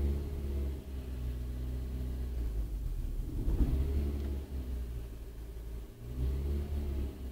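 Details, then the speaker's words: Renault Clio Mk3 petrol engine idling after fixing a cylinder 2 misfire from water ingress at the pencil coils: steady low hum, even beat, nice and smooth, no faults. "So, if I switch the engine on, nice and smooth."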